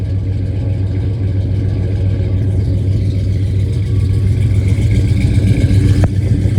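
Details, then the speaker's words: 1967 Dodge Coronet with a swapped-in 440 V8 (originally 318), revived after sitting about 30 years, running on open headers before Flowmaster exhaust is fitted: deep, loud, raw rumble with steady choppy beat, no muffling. "As you guys know, it has open headers, and then we have getting some Flowmaster exhaust put on, and it'll sound a hell of a lot better, run a lot better, and maybe my feet will stop getting so hot."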